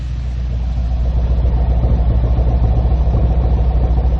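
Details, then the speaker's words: 2014 Ford Focus ST 2.0L EcoBoost at warm idle, exhaust listened to: steady low burble with even pulses, no skips and no recorded misfires after cold-start misfire diagnosis; normal warm idle. "I mean, there's no recorded misfires now that the engine is running and warmed up a little bit."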